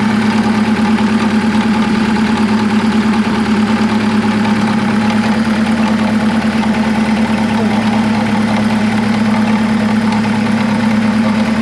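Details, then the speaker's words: 1975 Chevy Vega Cosworth twin cam revived after 20 years sitting, idle rising as ignition timing is advanced; loud, rough idle with a steady pulsing knock through it; engine knock, cause not yet traced. "okay good knocking or what it sure sounds like it doesn't it yeah yeah i don't like that at all"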